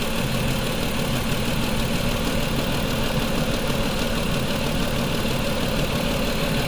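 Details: 2004 Mazda 6 3.0L V6 with codes P0304 and P2227: uneven, loping shake about three times a second over the idle hum, with cylinder 4 dead. Its injector is open circuit, reading 0 V instead of 12 V, though the PCM's ground control is good.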